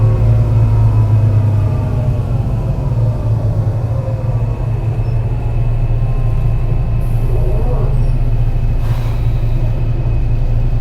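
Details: Torrens Transit Adelaide bus #757, MAN NL202 on CNG with ZF Ecomat 5-speed automatic, climbing hilly G21 route to Aberfoyle Hub; deep drone under load with uneven rhythmic stumble about four beats per second: bad engine misfire.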